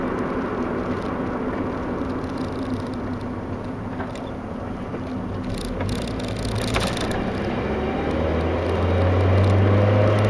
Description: skip to 0:30 for noise in question. there are two noises in question. 1, a loud deceleration grind noise.